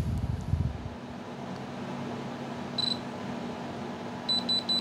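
Against a faint fan hum, one sharp high beep sounds, then three quick beeps, the tester's signal that the stone is real diamond.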